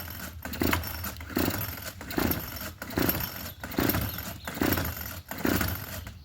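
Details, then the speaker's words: Craftsman 27cc two-stroke string trimmer, obtained free, with two-stroke mix poured down the carb throat to verify compression and spark: repeated rope pulls, about one a second, each give a brief rasp with no firing. It cranks but won't start; cause not confirmed, and it fired once the throttle was held. "Well, that don't sound promising so far, huh? I gotta hold the throttle."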